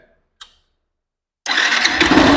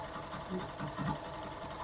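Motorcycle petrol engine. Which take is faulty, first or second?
first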